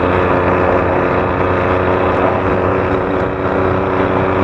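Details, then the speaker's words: Stock-engine Force two-stroke motorcycle, carburettor setting, riding in second gear: buzzes at high revs but holds a flat pitch as if against a ceiling rather than screaming; wet, too rich mixture up top. "mungkin ini gas pool malah basah kedengaran gak sih audionya guys"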